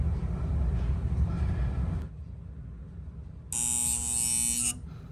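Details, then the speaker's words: AC outdoor unit and indoor breaker give a low electrical hum, then a harsh steady buzz as the compressor tries but fails to start, because the capacitor is not good enough to boost its start. "as we see there's a humming coming up from the breaker at the same time coming from the outdoor unit the main reason of that is the capacitor"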